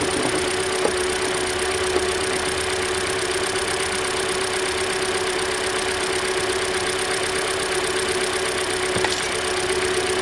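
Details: 2013 Hyundai Elantra, just over 60,000 miles: revving after replacing the alternator and serpentine belt (the alternator acts as the tensioner). An even hum with no squeal or chirp means the belt grips and runs normally.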